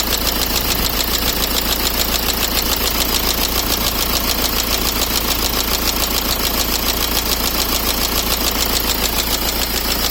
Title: BMW E60 520D M sport 2008 (Engine Knocking) part.2